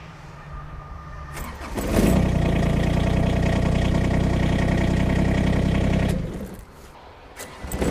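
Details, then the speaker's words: Kubota small diesel tractor cold-started after sitting overnight in snow and cold: a couple of seconds of cranking, then it catches straight away and settles into a steady, even diesel idle. A clean cold start. "er a lot of people have an impression of diesel engines from Years Gone by as hard starting in the cold and generally today we find that's not so much the case we can generally start most tractors pretty easily even at really cold temperatures"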